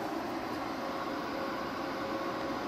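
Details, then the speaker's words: Inverter-drive mini-split heat pump in a shop, heating on off-grid solar, starting up set to 66°F: quiet, steady hum with a soft whir slowly ramping up, no clicks or surges; normal soft start with no current surge. "all right there's the amps and it's slowly ramping up on us one of the nice parts about the inverter drive mini splits is that they ramp up really slow so there's no real surge on the system"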